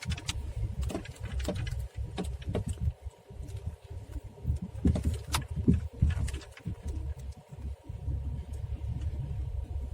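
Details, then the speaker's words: Skoda Rapid driven over rough road in first gear: irregular dull thuds from the front left suspension, while small potholes make no sound; worn front left shock absorber. "всем привет хочу показать признаки ну и звуки выхода из строя амортизатора в данном случае у меня переднее левое"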